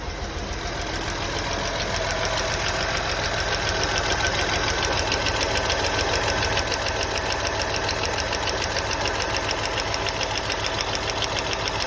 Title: @misfire cylinder 4.5.6 Honda accord